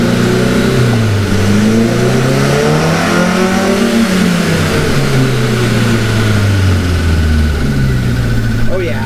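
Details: Cushman kei mini truck with a rebuilt engine, after pulling ignition timing and adjusting the carburetor idle air screw: the engine revs up and down cleanly with a crisp, even note and no stumble.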